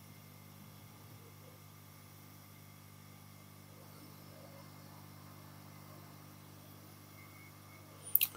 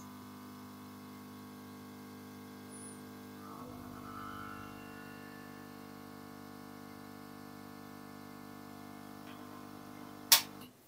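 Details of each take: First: Yihua 968 DA+ III soldering/desoldering rework station at full power with hot air gun on, after quietening work removed resonating vibration: only a faint, even low hum with no rattle or buzz; the pump now runs much quieter. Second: Yihua 968 DA+ III soldering and desoldering rework station, before soundproofing, with airflow cranked up from lowest setting: steady low buzz with several even tones growing louder; the air pump is shaking the case.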